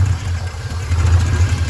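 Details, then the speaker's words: 1982 Porsche 928 V8, after six years in a barn on 2016 gas: deep idle swelling and sagging, never settling; hunting idle, idle seems set too low, fuel pressure low (~22), owner suspects the fuel pump. "It's searching for an idle. I wouldn't call it idling. It's searching for an idle. Seems set way too low."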